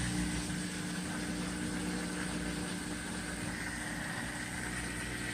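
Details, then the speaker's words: Maytag Epic washing machine that would not drain, after replacing the small DC drain pump motor, draining through a temporary garden hose: steady low pump hum with rushing water, no grinding or rattle; pump now pushes water out normally. "I'm sure you can hear it but it is pushing that water out so"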